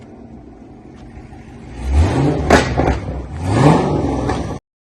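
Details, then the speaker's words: 2011 Cadillac CTS 6.2 L V8 after custom exhaust rework: custom mufflers and remade mid pipes, welded solid, leaking header-collector V-bands replaced; previously wide open. Deep rumble with two sharp throttle blips rising and falling cleanly, no rattle or leak puffing; normal exhaust note. "Should give it a little rumble. It was wide open when we got it."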